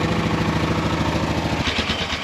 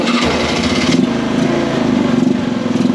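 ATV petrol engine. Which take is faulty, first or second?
second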